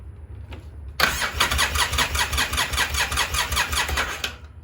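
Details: 2003 Polaris Sportsman 700, carbureted with a diaphragm fuel pump: the starter churns steadily at about four pulses a second and never catches; no fuel comes from the pump line, so the no-start is a failed fuel pump.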